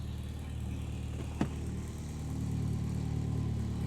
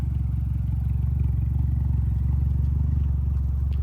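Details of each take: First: Mitsubishi Evo X after engine install, with new twin-disc clutch, first start before test drive: steady low quiet exhaust burble, even, no rasp or rattle apart from one brief click; normal idle. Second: Mitsubishi Lancer Evolution X on first test drive after engine install, heard from the rear: deep, steady puttering drone with a rapid chuff, about four per second, at low speed; exhaust leak at the two-bolt flange, gasket not sealing.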